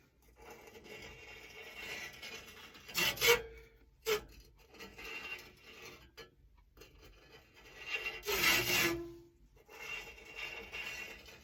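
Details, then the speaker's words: Push reel mower being sharpened: hand-turned reel coated with lapping compound gives short gritty rasping bursts every few seconds as the abrasive works between the blades and the bed knife. "but you want to ensure that you have every every one of them coded you can start to hear that that's that grit working in there"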